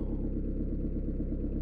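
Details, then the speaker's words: Peugeot/Citroën 1.9 D diesel, after valve clearances were set to spec: steady, even idle with regular low clatter and no top-end tapping; tight tappets with no clearance had caused hard morning starts and smoke on starting and acceleration. "voici le résultat final problème est résolu grâce au réglage"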